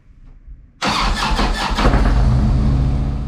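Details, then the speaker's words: Harley Ultra V-twin after starter motor replacement, restarted after stalling and idling high, probably cold: starter spins briefly, catches cleanly, settles to steady even idle, sounds better; normal start and idle. "Oh, that sounds better anyway. So. It does sound better."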